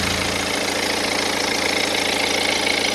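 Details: 2010 BMW 118d E87, N47 diesel, 178,000 km: idle with a rapid clatter about three or four a second; the timing chain drive was torn down and proved fine, so the source is unknown.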